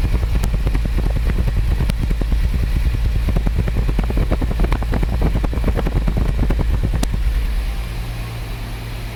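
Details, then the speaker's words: Jaguar XJ-S V12 HE at idle, good oil pressure, exhaust heard at A bank then B bank: stumbling irregular pops on B bank; leads ruled out, owner suspects injector, distributor, coil or amplifier. "let's have a listen right driver side exhaust a bank let's go to b bank rubbish that's not right at all"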